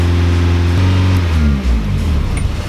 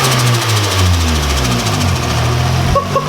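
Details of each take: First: Nissan 240SX turbo, throttle position sensor unplugged to test after it was cleaned and reassembled: engine speed climbs on its own with rising pitch, no throttle input; high idle traced to throttle position sensor needing adjustment. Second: Nissan 240SX petrol engine settles from a light rev into steady even idle after fixing a wrongly oriented hose clamp; sounds exactly as it used to.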